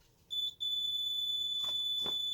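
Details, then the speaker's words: Simplex 3001-9001 panel test, medical panic triggered with keys 3 and 9: the keypad beeps slowly in an odd sequence, a short chirp, a brief gap, then a long steady beep, while the instant LED flashes. "Oh, it's beeping slowly. It's a very odd beep sequence."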